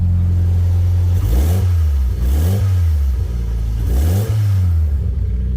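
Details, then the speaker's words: Mitsubishi Lancer Ralliart with SST gearbox, turbo swapped about 14,000 miles earlier, hood open, after fixing an engine-bay ticking/rattle: three smooth revs, no rattle, just normal SST chatter. "no more rattling and uh that's what you want to hear so we have a healthy Lancer rard and just your normal SST chatter nothing crazy going on"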